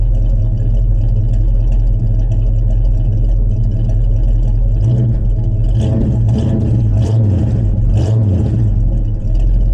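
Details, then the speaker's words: 1967 Chevrolet C10 stepside pickup V8 with Edelbrock intake, engine about 2000 miles, fresh cold start: deep smooth rumble at steady idle with clean throttle blips near the end; normal revving. "this engine has got like 2000 miles on it and so it's basically just brand new um and it runs like it's brand new"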